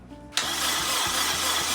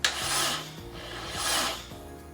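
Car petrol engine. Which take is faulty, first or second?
second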